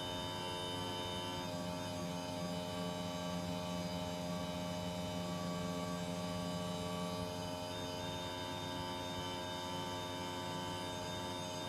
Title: noisy panasonic air conditioner split system